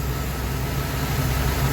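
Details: 1997 Dodge B3500 van V8 after the intake gaskets were replaced to fix a vacuum leak that caused spongy, fading brakes; the oil cap is no longer drawn in. Even, steady low idle rumble with no hiss or sucking noise. Normal idle.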